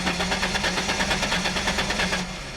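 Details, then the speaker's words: Hot Ford Mustang, manual, in neutral, fuel pressure reading zero at key-on with inertia switch not tripped: steady, even cranking, several compression beats a second, never fires; no fuel reaching the engine. "nothing like it ain't my job so that tells me that regardless is a fuel pump nursery switch it's not um it's not trip but still telling me that there's no fuel get into the motor"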